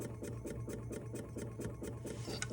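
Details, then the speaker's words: Carb-swapped 1991 Ford F250 351W, key on and engine off: steady quick pulsing fuel pump hum, about four beats a second; owner suspects the regulator, since squeezing the return line steadies the pump; not confirmed. "It's got to be the regulator that's making it pulse, because whenever I squeeze the return line, you can hear it, and then it maxes out, and the fuel pump kind of stabilizes, I guess you could say."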